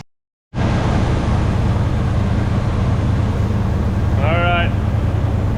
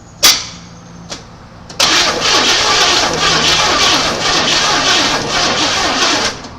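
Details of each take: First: 1980 Chevy C30 Squarebody dually, after sitting 26 years, warmed to temperature: low, steady V8 rumble at idle, even with no misses or knocks; normal warm idle. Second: 1980 Chevy C30 dually, first start attempt after sitting 26 years, gas poured in carb: a few clicks, then the starter grinds slowly with a labored rhythm, engine never catching; weak battery, owner says it needs a starter.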